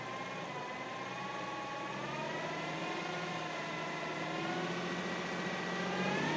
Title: G37 weird whining noise?